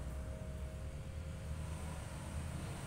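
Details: Polytron water dispenser not cooling, compressor switched on by the control module via Omron relay: steady low hum with faint constant tone, no knocking or rattle; cooling compressor running normally.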